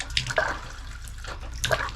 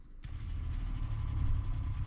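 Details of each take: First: RV water system, hot shower running on the water pump: flow starts strong then turns to weak, uneven splutters and gurgles as pressure drops and air is drawn; pump builds but can't hold pressure; failing water pump. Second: RV, newly installed Seaflow 12 V water pump, first power-up: a click then a short low, even motor drone as it pressurises the lines, no labouring or rattle; normal water pump operation.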